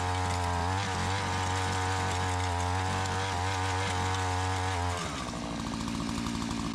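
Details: Curb-found Tecumseh two-stroke Mantis-style tiller, warm without choke after carburetor adjustment, tilling in gravel: steady even buzz, then drops to a lower rattly note; runs cleanly and keeps going.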